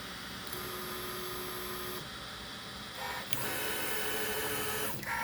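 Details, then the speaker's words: Easythreed K1 3D printer after upgrading the X and Y stepper motors to cure a clicking noise, printing the first layer: clean stepper tones with short pauses, quiet, no clicking, grinding or skipping; normal printing. "so far first layer's going down okay it uh seems to be printing it's quiet it's not clicking"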